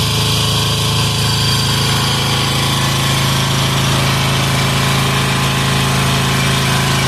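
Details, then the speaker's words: Amazon 186FA single-cylinder diesel engine running on waste vegetable oil filtered to half a micron: steady even idle beat with no misses or knocks, runs cleanly on this fuel; throttle response okay, judged a success. "oh throttle response is okay all right that's pretty cool oh that one is I call that a success too"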